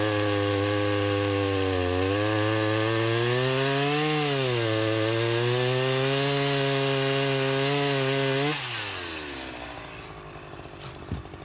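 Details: Restored Husqvarna 353 chainsaw with a new fuel line, carburettor just tuned, cutting wood: an even two-stroke howl bogs and recovers smoothly through the cut, then winds down cleanly. It runs healthy; the chain is grabby and needs readjusting or sharpening.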